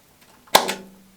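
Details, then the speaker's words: Miles Hivolt IT30 hipot tester wound up toward full 30 kV output. One sharp crack and a fading sizzle near the connector while the current meter wavers and rises: high-voltage discharge with current leaking to earth somewhere, location unknown. "quite a loud discharge now sounds to be coming they'll come around that connector somewhere"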